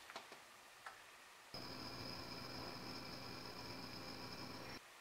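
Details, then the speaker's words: Electronic stethoscope held against a copper water pipe picks up a steady, even hiss with a faint high whistle, the sound of water escaping. Suspected water pipe leak hiss, not confirmed. "you can also use this to probe hot and cold water lines if you think you have a leak place it right against the copper pipe and you'll be able to hear the hissing and it would sound just like this"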